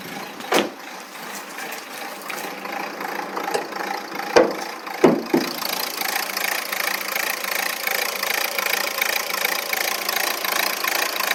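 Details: Renault 1.5 dCi K9K 836 diesel at idle: clattery, uneven pulse with a wavering beat, rough idle with no fault code stored.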